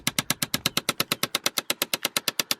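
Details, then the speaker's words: Chevrolet Impala 9C1: rapid even plastic clicking, about eight a second, from behind the glove box; blend door actuator clicking, to be replaced with a junkyard part. "so back here i can actually feel it click click click click click away click click click click click click click that's actually back here hiding behind the glove box"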